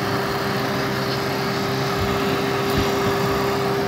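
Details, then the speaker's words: Honda Foreman 450 with a flame heating the fan sensor to test the fan circuit: steady, even whir with constant tone and no rattle or scrape; the radiator fan switches on and runs normally. "you can hear the fan just went off I'm gonna show you something now if I continue to heat this up the fan is gonna come on"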